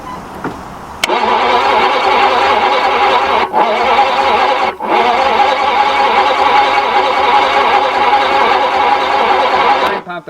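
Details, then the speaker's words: Daimler Mk2 hemi-style 2.5 litre V8 barn find, freed from seized, with spray fed in while cranking: steady rhythmic starter churning for about nine seconds that never catches; debris in bores and plugs suspected, timing to be adjusted. "doesn't do anything okay all right so that's pretty positive guys that's it you can hear it go on to start um it should go"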